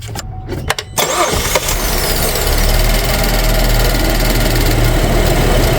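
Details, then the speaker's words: 2011 GMC Acadia after replacing a broken purge valve: short crank, fires right away and holds smooth steady idle without stumbling, burbling gone, no excess exhaust smoke; running properly. "just the idle itself sounds a lot better and before there was kind of a burbling sound all the time no more burbling"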